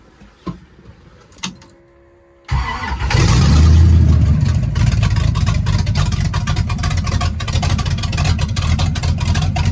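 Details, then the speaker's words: 1965 Chevy Impala, non-stock 396 Turbo Jet big block V8 with fresh camshaft, open headers: catches after a couple of cranks, choppy loping idle with rev blips, good oil pressure; normal lumpy idle and revving. "I now have it where it's idling and everything and it's got some decent chop to it. Um, it's just it's really hard to do anything with these open headers like this and making all of this noise, but so far so good."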